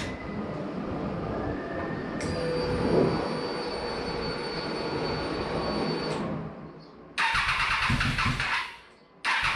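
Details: Motorcycle's first start after its fuel pump was rebuilt and the battery charged, with the pump heard priming: the engine catches after a brief crank and settles into an even idle with a steady high whine and no knocks. Normal start and idle.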